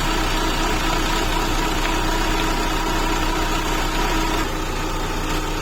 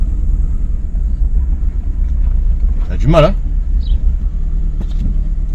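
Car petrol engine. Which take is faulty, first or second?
second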